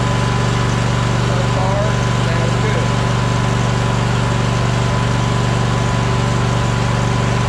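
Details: Troy-Bilt Horse riding mower with no power; steady, even drone holding at a low, unchanging speed, never reaching full throttle; engine not reaching full speed.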